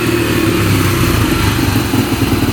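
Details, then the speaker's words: Freshly rebuilt 2003 Yamaha TTR125 single-cylinder dirt bike after repairing a horrible engine knock: a steady, even idle putter with no knock or tapping. It is really quiet, and the knocking sound is gone. "Nice and quiet engine. That's really quiet. So we got rid of that sound. That's all fixed."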